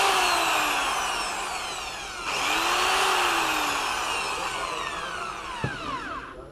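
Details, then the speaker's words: A Bosch corded drill, after new brushes and a cleaned motor seat, whines then sags and cuts out depending on cord position. One pole of the power cord made poor contact, and the cord was replaced. "el motor ya va fino pero a veces se para dependiendo de la posición del cable testeo el cable y veo que uno de los polos no hace buen contacto Hasta que muevo el cable"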